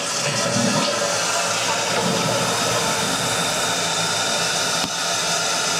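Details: Basement bathroom toilet refilling after a flush: a steady rushing hiss with a low droning rumble underneath; water hammer noise suspected.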